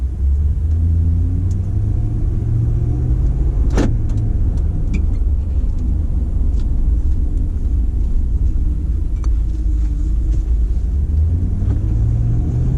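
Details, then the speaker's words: Rebuilt salvage 2014 Ram 2500 with 5.7 Hemi, about 90% disassembled and reassembled, driving on road: steady even low road and engine rumble, shifts well, no squeaks, clunks or rattles; healthy. "it drives well it shifts well and it does everything that i expected to considering 90 of the truck has been disassembled and reassembled and there's no squeaks or rattles or anything i will consider it a win"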